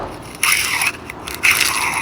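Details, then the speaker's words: Shifter kart axle bearing spun by hand, likely contaminated by sand from off-track excursions: gritty, uneven scraping rasp with the bearing wobbling; dry, worn bearing with no grease, unlike a fresh one. "that I can hear those bearings wobbling around there tells me there's no grease"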